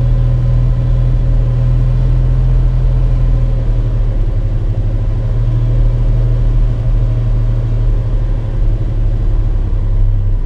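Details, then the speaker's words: 1974 Valiant, first start since August after freezing weather and a long crank, now warmed up: deep steady low rumble with an even beat and no misses, knocks or hunting; normal warm idle, settled down. "this car is pretty like once it's happy it's it's pretty good at settling down"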